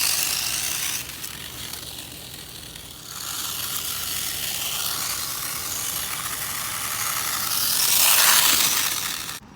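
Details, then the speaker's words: HBX Transit RC rock crawler in low range, crawling at a campsite: sharp, high-pitched ratcheting chatter about four clicks a second as gears skip; pinion and spur gears almost stripped, making it very loud. "all right so we're in a low range and I hear the gear skipping which is great [Music] and guys as you can see the gears in this thing are almost gone"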